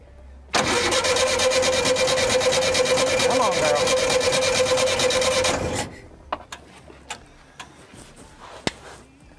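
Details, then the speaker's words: 1975 VW Shorty bus, first start after sitting over 20 years, fuel dosed: steady cranking about three turns a second, close but never catching; owner suspects fouled spark plugs. "Man, she's so close. Really close. Here we go. All right. So close. Yep. You reckon those plugs need to be pulled out and clean"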